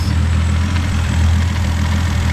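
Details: FG Falcon turbo trayback ute with factory-based Barra turbo engine, idling; steady, even low rumble with no knocks, misses or rattles. No oil return leaks, charging, power steering and cooler good; normal healthy idle.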